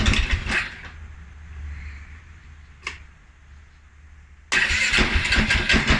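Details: 2011 Polaris Sportsman 550 XP EFI on cold startup: fires, stumbles and dies within a second, then catches and settles into an uneven idle; TPS, IAC, TMAP, valve clearance, timing, spark plug and 43 psi fuel pressure checked good; cause unknown.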